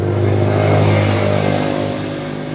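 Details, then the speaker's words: Honda Scoopy scooter, hard to start, blipped under throttle: runs rough and sputters; fuel pump, injector spray good, spark plug replaced with no change, suspected poorly seated. "Pompa bensin bagus, injektor bagus, busi sudah diganti, masih mlebuk juga."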